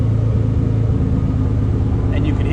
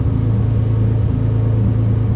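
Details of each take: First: Nissan 300ZX with code 55, power balance test run from scan software, cylinder one cut: steady idle hum shifts under a second in to a lumpier, uneven beat as the cylinder drops out. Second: Nissan 300ZX engine idling while ECU self-diagnostics show code 55, no faults; steady even low rumble, no knocks, misses or surges; normal idle.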